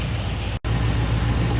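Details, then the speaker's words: V8 with self-tuning Carb Cheater installed on Holley/Edelbrock carburetor, after previously bad idle: deep even burble, holding good idle RPM and good idle air-fuel ratio, no dips or misses. "all right so we're maintaining a good idle RPM good idle AFR"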